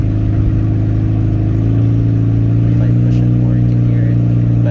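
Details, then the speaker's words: 2003 Toyota Prius driven on highway after catalytic converter stolen: steady deep exhaust drone, louder climbing hills and quieter on level or downhill as revs drop; loud exhaust from missing catalytic converter. "you can hear the engine noise a lot more you can actually hear when you're pushing up a hill and going back down one like you hear the engine working a bit harder now going up the hill and then now it's flattened out it's quieter"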